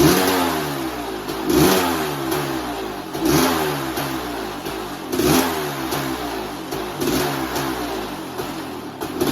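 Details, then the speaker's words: 1988 Kawasaki KX500 two-stroke, started after four or five kicks, choke not staying up: crisp revs every couple of seconds rising and falling cleanly, no misfire or knock; normal running and revving, healthy engine. "uh [Music] sounds good she'll absolutely flipping rip your arms out of the sockets when you open that throttle"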